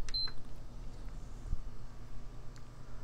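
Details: PS5 CFI-1015A that died after a power outage, fully reassembled after repair and switched on: a single short, high beep over a quiet room hum, then lights and video; powers up normally.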